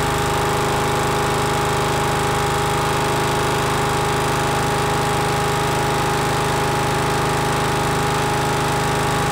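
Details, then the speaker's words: Miller Bluestar welder engine, sat 5 years, after cleaning gummed carburetor including low idle jet; fast even beat of about four firings a second, no misses or surging: normal running. "I already did start it once but anyway we'll start it up again just for good measure but it actually runs pretty good now"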